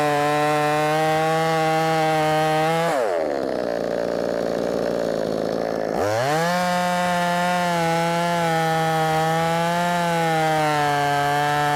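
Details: Brand-new, not-yet-broken-in Wemars 6220 clone chainsaw on its shakedown run, screaming at full revs, bogging smoothly into the cut and climbing cleanly back to a steady high pitch; sounds loud, powerful, revs well; normal cutting under load.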